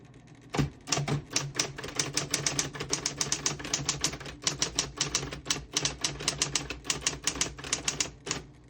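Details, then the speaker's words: 1960s Smith-Corona Coronet Electric 12 portable electric typewriter typing a sentence in red ribbon. Crisp, rapid, even keystrikes, four or five a second, none skipping. A really fast typing action. Normal typing. "Really nice typing machine. I was really surprised at this one. It's really fast."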